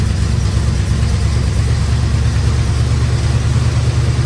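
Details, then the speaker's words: 1972 Dodge Charger V8 after fuel pump and belts installed, first run in 25 years: deep steady idle about 750 rpm, the earlier ticking smoothed out on its own; normal idle. "look everybody we have not even gave it to gas we just letting it run we're letting it idle"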